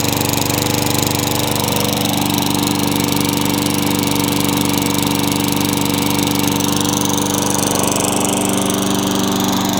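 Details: Craftsman mower with engine swapped in for the blown Tecumseh, running after the kill switch and coil were fixed to restore spark: small engine runs steady and even for ten seconds with no misses or stumbles; normal.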